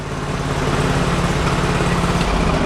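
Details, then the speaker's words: Sears Suburban loader with 20 hp Briggs & Stratton Vanguard V-twin, warm, smoking and burning oil while moving snow, possibly running lean: loud uneven lopsided chugging, seems firing on one cylinder; cause suspected, not confirmed. "Yeah, it sounds like it's only running on one right now. I blew her up. Yeah, she's blowing up."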